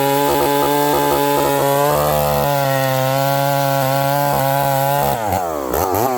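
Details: Stihl 038 Magnum chainsaw with a carburetor problem: a high, wavering buzz with uneven burbling, then surges and drops without settling. It sounds really rich coming back down to idle and smokes; leaning it makes it too lean.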